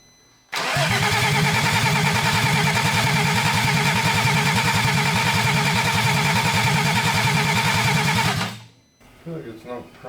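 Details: VR6 engine mid-mounted in an EF Honda Civic project, first start attempt: starter cranks at a steady even rhythm for about eight seconds with no firing or catch; turns over but won't start, cause suspected, not confirmed.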